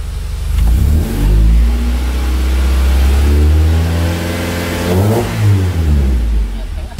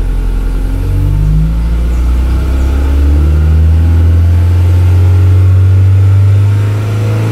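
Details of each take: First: Swapped F22B1 VTEC engine in a Honda Accord Maestro CB7, revved to 2,500 rpm in the garage as temperature rises: revs climb and fall smoothly with no harder high-rpm note. VTEC does not seem to engage; the owner suspects the engine isn't hot enough yet. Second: Honda Accord Maestro CB7 swapped with F22B1 VTEC engine, iridium plugs, timing adjusted, VTEC switchover set at 3800 rpm: deep revving in neutral, note hardening and climbing past the switchover; VTEC engaging normally.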